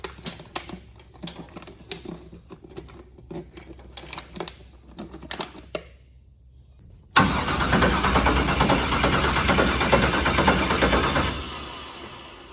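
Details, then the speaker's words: New LS-swapped forced-induction Mustang (TKM engine, Holley intake) being primed and cranked for its first start: uneven bursts then a long grinding turnover with no firing; cranking sounds slow, battery suspected a little low. Cause suspected, not confirmed. "Is that how it sounds? Like just rolling it That over? battery sounds a little low."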